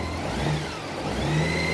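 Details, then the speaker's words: 2012 Honda Goldwing during cold warm-up, coolant at 50°C, revved gently toward about 1400 rpm while the PAIR system is still inactive. Smooth, even note rises and eases back with no stumble or misfire; normal. "See if I get it up to 1400 RPM or so. The pair system is not yet being activated just because the engine temperature is below the threshold that it would normally start engaging."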